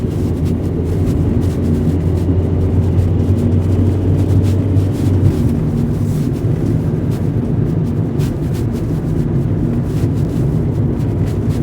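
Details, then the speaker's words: 2009 Fiat Doblo Cargo diesel van on road test cruising, unladen, just after its fallen-off exhaust was replaced with a new one; steady low drone with road and wind rumble, no blowing or rasping: exhaust sounds sealed and good. "Cool. Well, it sounds good to me."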